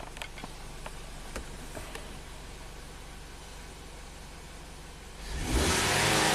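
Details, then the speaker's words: 2017 Ford Transit Connect after reseating the cylinder 3 ignition coil, which had been installed crooked and caused a misfire: the engine runs evenly with a steady note and no miss, then revs cleanly; normal running, all cylinders firing. "I think this thing should just start up and run just fine. Let's see. Yay. That was the quickest Misfire repair ever."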